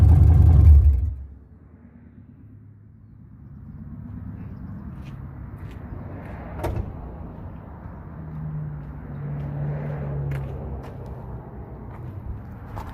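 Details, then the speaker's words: LS 6.0 V8 swap, restarted after first start, no coolant in it, recorded from lower down: heavy bang at start-up then low, even rumble with a couple of quick revs; runs healthy and very loud. "right hopefully that picked it up a little bit better I don't know but it runs so damn go accomplished"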